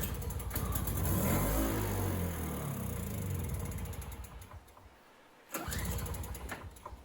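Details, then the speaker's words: MTD 4.5 21-inch single-stage snow blower, sat too long, would not start on pull; brief rough sputtering on starting fluid that dies within seconds, so engine runs but carburetor isn't feeding fuel. "so what i'm going to do now is just do a little bit of starting fluid i just want to hear that it sputters to make sure that the engine even runs"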